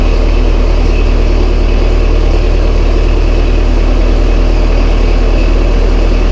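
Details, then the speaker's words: Massey Ferguson 135 tractor diesel, first start after oil change, filter and valve adjustment: deep, steady chug with an even beat and no knocks or misses; healthy idle. "First start, let's see if it starts. Not that I've done anything drastic to it, but it's just good to know that it'll start back up after I've done all this work."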